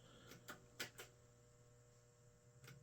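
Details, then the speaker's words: Atari Vapor TRX arcade PCB repeatedly failing self-test: sharp isolated speaker pops over a low steady hum, each pop coming with the software reset; root fault still unknown. "Oh, that's the software reset. I can guarantee that pop comes when the software reset happens."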